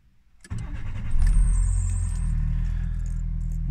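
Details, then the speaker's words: Nissan Micra K11, post-1996/7 facelift: a rough whirring crank with a thin high whine before it catches and settles to idle; the starter motor sounds worn, and the alternator drive belt is possibly a little tight. "That doesn't sound too good. That sound, incidentally, is the starter motor, which I need to do something with at some point."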